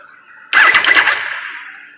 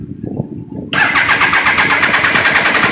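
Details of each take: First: Triumph Daytona 955i with a no-run problem, wiring harness suspected of past splices: at key-on a high buzzing whir fading over about 1.5 s; normal fuel pump priming, pump confirmed working when jumped direct from battery. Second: Triumph Daytona 955i no-start with new spark plugs, fuel pump running with pressure, harness suspected: brief cranking, then runs hard about five seconds on starting fluid sprayed in the air intake before fading; proves spark, won't run on its own, cause unconfirmed.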